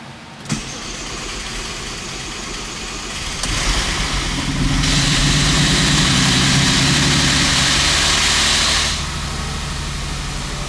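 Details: Audi with a freshly installed engine after two years sitting, first start with very low oil (about 5 of 8 quarts) and almost no oil pressure: cranks and catches, then a fast steady idle with a loud hiss on top; a rough, worrying first start.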